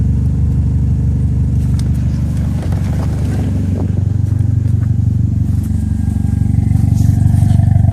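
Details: Toyota ST205 engine: deep exhaust note stumbles unevenly as revs build, beats dropping out of the rhythm; misfire with no cause found yet.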